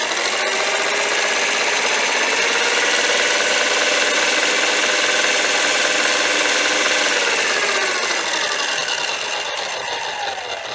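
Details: Kitchen Center outdoor blender power base, after a blown circuit-board fuse was replaced with a soldered-in external holder and a 10 A mini fuse: a steady high motor whirr that climbs slightly as speed is bumped up, no grinding; the motor is healthy.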